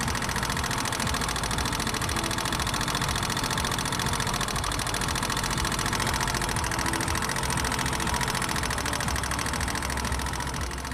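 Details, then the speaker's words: Motorcycle engine at idle: sharp, quick metallic ticking from the upper engine that rises with rpm, tappet noise from excessive tappet clearance; fix is adjusting clearance to standard limit. "a sharp metallic noise is heard in the idling stage from the upper side of the engine and it increases with the rise in engine rpm"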